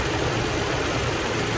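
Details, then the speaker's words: Vacuum hiss at open hose port on 1989 Toyota Pickup 3.0L at idle: steady idle with constant airy hiss as vacuum now pulls properly (gauge rising to 15); a rat-chewed hose had kept the regulator from opening. "Vamos a checar cuánto de aire tenemos. Ahora sí, miren, ahora sí ya se oye el aire acá."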